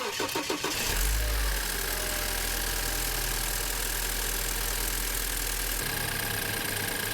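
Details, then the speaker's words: 2013 BMW F10 528i, N20 four-cylinder turbo, after turbo cartridge rebuild and wastegate adjustment: starts and settles to steady even idle, no wastegate rattle, boost steady; normal idle. "And the car right now is working great. The wis doesn't rattle anymore. The boost is steady. Everything works fantastic."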